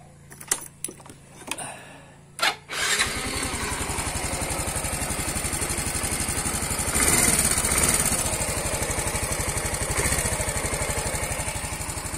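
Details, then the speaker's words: Yamaha Mio M3 125 scooter after replacing cylinder block, piston and head following oil starvation that caused rough noisy engine: catches after a few tries and settles into a steady even putter about four beats a second, rattling gone, healthy idle. "halus suaranya sudah tidak ada suara kemresek begini"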